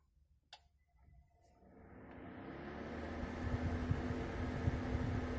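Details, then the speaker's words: Space heater switched on at full power (about 1100 W) with the AC voltage regulator knob turned fully, bypassing it: switch click, then the fan spins up to a loud steady whoosh with a low hum; normal full-speed fan noise. "so i will just start the space heater and you'll see how loud it is"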